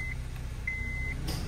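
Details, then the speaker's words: 2007 Honda Civic, 8th gen, AC compressor previously stuck on, tested at idle after repair: one crisp click as the AC clutch engages and disengages with AC switched on and off, no grinding; compressor clutch now works normally. "can hear that turning on. Off. On. That's off. That's good. I hope you can hear it. Fan. There you go. I can hear it clicking too."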